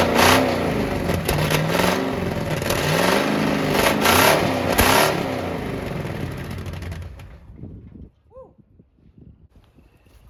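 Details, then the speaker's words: Abandoned 1967 Ford Mustang 289 V8, running for the first time in a long while after carburetor work: a rough, loud rev with a raspy, puffing exhaust note from exhaust leaks. "okay I'm going to crank it up from this angle just so you can hear that well it's got exhaust leaks it don't matter but it's it's running"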